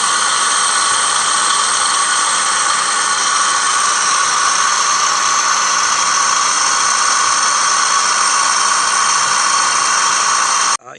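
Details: Toyota Sienna 3.5 V6 2GR-FE (2007–2010), engine running: steady harsh high whir and rasp from the belt side. Cause: worn lower idler pulley bearing, replaced via the front passenger-side wheel well.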